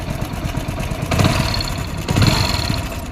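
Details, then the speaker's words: Hero Splendor motorcycle single-cylinder at idle before timing chain replacement: fast, loose clatter that thickens on each blip, the timing chain badly worn out. "तो दोस्तों आप लोगों ने इसका sound सुन लिया, sound कैसा है। इसकी टाइमिंग चेन है बुरी तरीके से दोस्तों खत्म हो गई।"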